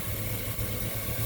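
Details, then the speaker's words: 2000 Chevy Suburban 5.3 Vortec with P0304/P0303 misfires from a leaking fuel pressure regulator; with the regulator vacuum line plugged off so no raw fuel is drawn into the intake, it idles smoothly with a low, even thrum and no stumbles. "we should see cylinder 4 drop to zero misfires after we cycle the rpm"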